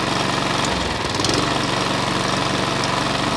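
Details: Cheap Chinese department-store lawn mower, about a year old and not run for half that time, first run after revival: a steady, even single-cylinder putter at constant speed with no misses, surging or knocks; normal running.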